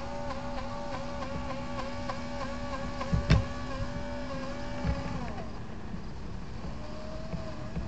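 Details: FT012 RC boat, holding still in water at full throttle: a high electric motor scream wavers and surges, then drops away as the shaft cuts in and out; slow to accelerate. Set screws, prop and shaft were checked OK; the owner suspects the motor.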